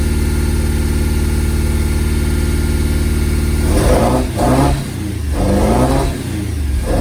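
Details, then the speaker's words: Ford prototype Corsair with a fuel-injected Essex V4, first start in 1.5 years in freezing cold: it idles with a slightly uneven, lumpy beat and revs up and down in blips; a slight misfire while cold. "got a little bit of a mire it is freezing cold I"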